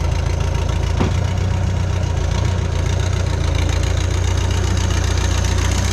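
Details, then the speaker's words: Bobcat 883 skid steer with newly installed remanufactured Deutz diesel engine, parts swapped from old motor: deep even idle, steady low rumble, no knock or miss; engine sounds healthy. "All right, machine runs, it operates. This is really exciting. So, I don't know if you could see in that last clip, sounds pretty solid, fresh motor."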